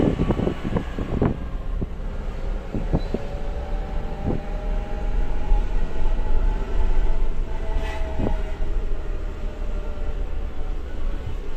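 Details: New Suzuki Jimny in low range: a thin drivetrain/transmission whine rises and falls with acceleration and deceleration over road rumble, origin unclear.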